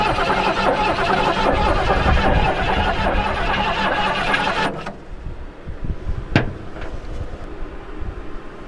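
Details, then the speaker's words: 1973 Mustang Mach 1, sitting about 15+ years, choke closed and fuel squirted in: steady starter cranking about four turns a second for nearly five seconds, never firing; no-start from missing spark. "So we got to have spark. And spark will come from the ignition coil, and then the distributor cap through the spark wires, the spark plug wires to the spark plugs."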